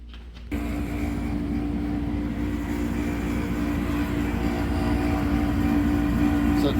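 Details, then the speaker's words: Bryant/Carrier (Payne) package unit on a no-heat call at about 50°F: the inducer motor had been hot and stuck. Once freed, it spins up to a steady hum with a rough, rumbling undertone. It runs but is weak, and inducer motor and wheel replacement is recommended. "inducer's running. It's right in that sweet spot. So, the motor is weak because of uh the vent um wheel, but we got it in a position where you can see it's running."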